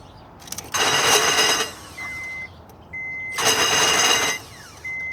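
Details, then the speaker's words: 1998 Acura 2.3 CL starter, two short bursts of harsh high metallic whirring/grinding with no engine turning over; owner suspects the starter Bendix isn't engaging the flywheel, unconfirmed. "it's just not engaging at all well any help would be appreciated if anybody knows what this is thanks"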